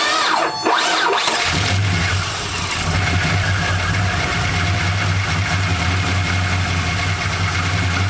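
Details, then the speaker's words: 1999 Holden R8 Clubsport, Gen III LS1 V8, second run after a cam swap with oil topped up, no throttle: catches and settles into a lumpy, uneven idle that hunts; won't hold idle, no warning lights, some rattles remain, cause not yet worked out. "Happy days. It doesn't want to idle. Well, we'll have to work that one out."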